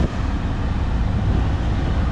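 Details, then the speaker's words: Chevrolet Equinox four-cylinder after repairing the fresh air door actuator behind the dash: only a steady engine rumble, with no more clicking or tapping when switching between fresh air and recirculate. "the noise went away um before when used to change from fresh air to recirculate here it would make that that noise that clicking tapping noise back here but as you can see it has gone away"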